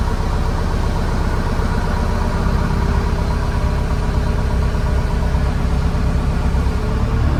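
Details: Case TR310B skid steer diesel at its 100-hour service, after oil, fuel filter and fuel/water separator changes; steady even idle clatter, no hunting or stumbling, runs over a minute without shutting down, so no air in fuel system: normal idle.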